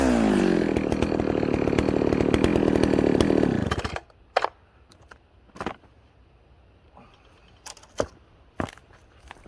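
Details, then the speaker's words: Ported 66cc two-stroke chainsaw cutting wood, judged able to pull a 28-inch bar. It screams at high revs, holding pitch steady through the cut without bogging, then drops off: healthy, strong pull under load. "okay that thing's an absolute monster"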